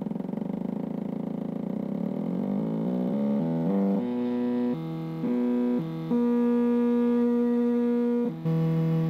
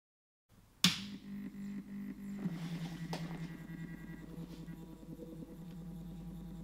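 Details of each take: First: let's start with the 4988 driver you can hear that the steps are quite coarse with the motor turning slowly Second: Stepper motor on an A4988 driver set to 16 microsteps: smooth, steady low hum with a soft even whir, around 45 dB. Quieter than at lower microstepping but still louder than with TMC2208 drivers. Normal stepper hum.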